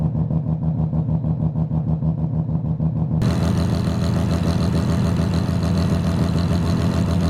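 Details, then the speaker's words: Mazda FC RX-7 rotary engine just restarted at the dyno session: steady, even low burble with a quick pulse and no knocks, sounding right after the previous day's lawn-mower-like running on one rotor; normal idle. "yeah that's how it was supposed to sound it did not sound like that yesterday it sounded like a lawn mower running on one rotor"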